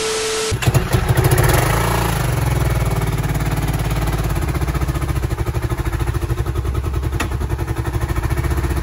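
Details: 2010 Kawasaki Brute Force 750 ATV: starts, then settles into an uneven, lumpy idle with irregular beats; one cylinder not firing.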